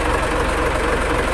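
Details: Mitsubishi Fuso 6D24 diesel engine, shown in a fuel leak and hard starting fix: steady even diesel clatter at idle with a regular low thrum and no misses or stumbles; engine idling normally.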